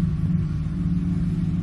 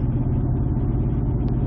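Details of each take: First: 2007 Ford F-150 5.4L 3-valve V8 at idle with a P0302 dead misfire on cylinder 2 (second back, passenger side) from a loose, fouled spark plug: a low, lumpy, uneven rumble with a strong fuel smell. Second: 2007 Ford F-150 5.4L 3-valve V8 on road test around 45 mph, fourth gear with torque converter locked, after fixing a loose cylinder 2 spark plug: steady, even low rumble with no stumble or skip; misfire cured, normal running under load.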